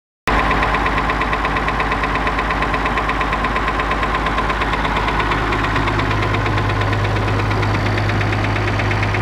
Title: Copy of Perkins T6.354 M engine knock